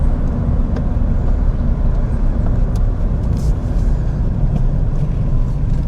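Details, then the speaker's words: Ford Fiesta 1.6 manual, being checked before its roadworthy inspection, on a road drive: only a low, steady road rumble and engine hum, no clunks or knocks over bumps; ABS light earlier but no warning lights now. Normal quiet driving. "Yeah, she drives beautiful. Absolutely beautiful. She sounds pretty quiet. I can't hear any knocks or anything bad, you know, that would signal to me that something was wrong."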